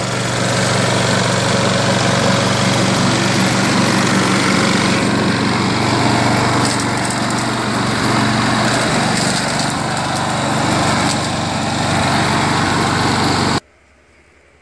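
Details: Craftsman 22-inch self-propelled front-wheel-drive mower with a 6 hp Briggs engine, after a shot of carb cleaner and RPM adjustment, one drive wheel bad; steady, even high-speed drone with no misses or surging, then a clean shutoff; runs healthy.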